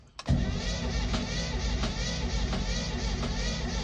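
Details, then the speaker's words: 1938 Chevy with a 350 Chevy engine, in neutral, cranking long with a steady churn that sounds wrong and never catches. A crank no-start; starter fluid then gives some pops, showing it is getting fire. Cause unknown. "sounds kind of stupid. Something's going on."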